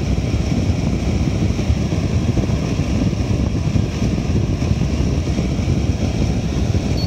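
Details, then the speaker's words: Air purifier at maximum mode, equal to turbo, in a quiet room: loud steady rush of air with deep even fan roar, no ticks or rubbing; fan running normally at maximum speed. "максимальный режим здесь равен по режиму turbo то есть стоит ли за это переплачивать решайте сами"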